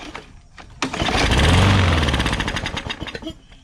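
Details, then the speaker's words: Newer Briggs & Stratton push mower that had water inside, with fresh-smelling gas and dark oil. Fires on carb spray, chugs roughly, then sputters and dies as the spray burns off. Fuel starvation from water in the carburettor; carb to be removed. "Sweet. Well, that's a good sign. Fire over on carb spray, so let's get this carburetor off, take a look at it."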